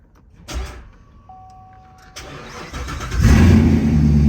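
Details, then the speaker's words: Corvette Grand Sport after rebuild (suspension, cooling system, fresh fluids), fourth start attempt after excess oil was drained: short crank, then it catches at once into a strong, even, deep idle with no misses; normal start. "This car sounds insane. Wow."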